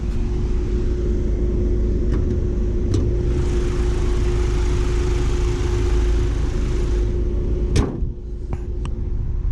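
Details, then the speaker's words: Mazda CX-5 with an aftermarket engine protection system, while driving. The fans kick in hard and acceleration weakens as the engine protects itself; a loud, steady rushing roar with a constant low hum is audible from inside the car. Finding: cooling fans running at high speed. "you can hear the fans have kicked in hard let me just park on the side of the road this is how you know that it's protecting itself right"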